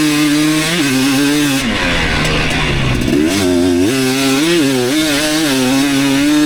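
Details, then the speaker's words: 2019 KTM 250SX two-stroke, Lectron Billetron 38 Pro carb, ridden on track: light metallic rattle under heavy load at only about quarter throttle; detonation pinging the owner blames on a lean torque jet, to be richened about half a turn. "I thought I remembered it pinging and stuff when I was really high up in the throttle but actually it seems like it's uh when I'm like when it's under a heavy load"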